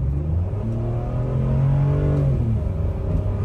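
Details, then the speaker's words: $750 Land Rover LR3 V6 with a fixed wheel bearing, fresh Rotella T6 5W-40, sport mode, cabin recording while accelerating onto the highway from about 15 mph: engine rumbles low and rises smoothly, barely any road noise, no wheel growl; quiet and healthy. "this thing you barely hear anything it's so quiet Let's uh get this out on the highway and let's hear how nice it is inside"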